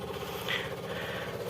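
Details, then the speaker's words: Daihatsu Zebra Espass aftermarket (KW) electric fuel pump, nearly 2 years old, wired directly to the coil resistor: at ignition key on, steady fast buzzing hum with even pulse; pump priming normally. "Ya tapi kalau kita putar sekali lagi posisi on nah ini nyala"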